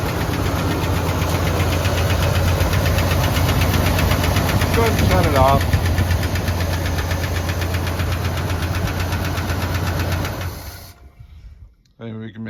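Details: Boat-tail Buick Riviera V8 at first start; a faint quick even tick about four per second over a steady low idle. The owner suspects a loose lifter, unconfirmed, and plans to check the oil.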